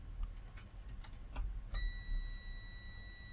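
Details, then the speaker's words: Multimeter continuity check of main board fuse on Giatsu 3DDC mini split air con (error F4): a few clicks then one steady high beep about 1.5 seconds; fuse reads okay, intact. "yeah and the fuse reads okay"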